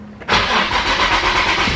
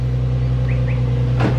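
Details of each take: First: Nissan 350Z first start after valve cover gasket replacement: engine cranks a moment, catches with a jolt, then runs lumpy and unsteady; rough, hard start, cause unclear, with a leak and bad smell noticed afterwards. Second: Nissan 350Z restarted after valve cover gasket replacement, some smoke from residue burning off, oil level fine: smooth, steady low idle hum with one brief click, no knocking or misfiring; normal idle.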